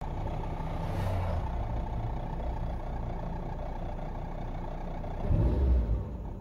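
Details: Fiat Uno at idle, recorded inside the car: low droning buzz swelling in bursts, intermittent, from the radiator vibrating in its loose retaining clamps rather than being bolted in.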